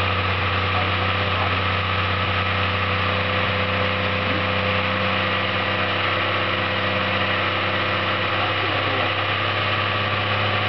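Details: Skoda 120GLS engine, first start after assembly: steady, even petrol idle with a constant low drone and no speed changes; freshly rebuilt engine idling normally.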